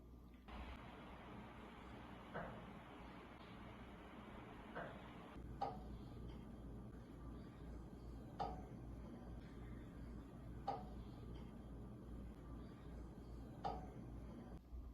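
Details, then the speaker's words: Home forced-air furnace duct system: sharp, isolated pops every couple of seconds over a low furnace hum as duct joints crack with thermal expansion and contraction. "lk about some popping up noise or cracking noise coming from your doctor system if you have the same issue i bet you already feel the pain about that sounding coming from from your abductor system it's the soul noise that sometimes it wakes you up"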